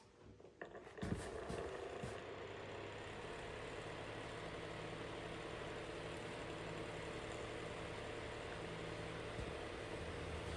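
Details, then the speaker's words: Unknown 6-inch fan after tune-up, running on low: steady airy rush with a low droning motor hum; moderately annoying noise, suspected worn thrust washer or something loose in the motor. "I guess that noise isn't too bad, but it's kind of moderately annoying."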